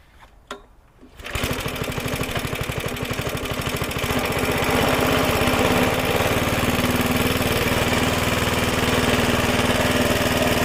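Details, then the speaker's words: Suffolk Super Punch 17" cylinder mower, c.70 years old, SIF 75cc cast-iron single, after carb and points clean: fires after a couple of pulls, crisp regular putter picking up slightly and holding steady; healthy running. "what a lovely little sound like a cracked little engine when I went our chicken dinner super happy about little Suffolk super punch I didn't think it's gonna run as well as it did"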